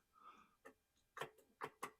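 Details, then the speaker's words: 2012 Ram Hemi truck, parked for months, no crank despite a good battery: with the starter terminal shorted, only a few sharp uneven single clicks and no cranking; the relay now clicks and the starter is suspected bad, or insufficient current. "so starter could be bad or I'm just not getting enough home I wasn't getting the relay to click before so that's interesting"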